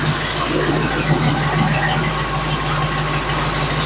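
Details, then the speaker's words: 1976 RV with a Dodge 440 V8 at operating temperature, vacuum line plugged, idling after a distributor timing adjustment. The exhaust note changed to less rich, leaner and rougher, with a low, slightly uneven beat; it later backfired through the carburetor. "the fuel is burning differently now that the timing has been changed it's not running as rich I can tell that much I can hear the exhaust note has changed as I've messed with it too"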